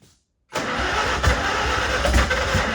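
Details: Farmall H tractor engine started after an attempted fix; cranks and catches, then settles into a lumpy, uneven chug with dropped beats at idle, like a cylinder misfiring. Carb not flooded and timing checked as not out; owner next checking the distributor.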